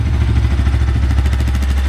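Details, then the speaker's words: Bajaj Pulsar NS200 after timing chain work done through the cylinder head: a deep, even exhaust thump at steady idle from a loud silencer. The former timing-chain tick is gone, so it is a normal idle. "Timing chain की जो आवाज आ रही थी वो चली गई है तब हो गई है बढ़िया"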